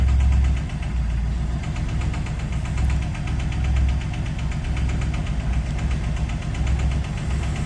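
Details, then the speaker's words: Engine of a newly bought project car at idle: rough running with a steady loud rattling knock; owner suspects a spun bearing. "cuz it is fairly rattly so to me it sounds like it's done a spun a bearon"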